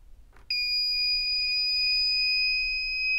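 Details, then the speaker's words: WZRELB 3000W pure sine wave inverter (older model), inverter on and battery switched off: one continuous high-pitched tone holds about three seconds as the capacitors discharge, much longer than the short tone of a normal switch-off; only tiny charge left afterwards. "very tiny amount of power still left in these capacitors so it's relatively safe at this point but notice the difference in the length of the tone when it was actually discharging"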